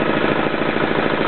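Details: Yanclone Suntom 186CF 406cc diesel in a Royal Enfield, second run after rebuild with new injector, fuel line, head and crankcase gaskets, decoked valves: single diesel thumping steadily and evenly at idle, no knocks, misses or rattles; healthy.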